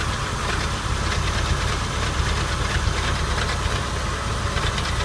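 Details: 1999 Porsche 996 running, recorded from underneath directly below the engine/transmission: a loose, uneven metallic rattle over a heavy low rumble. The cause is unknown.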